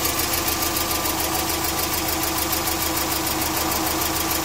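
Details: Subaru EJ20K boxer engine at idle: a quick, light, regular top-end tick over a steady idle. Owner suspects piston slap, timing belt tensioner, AC or lifters; not confirmed.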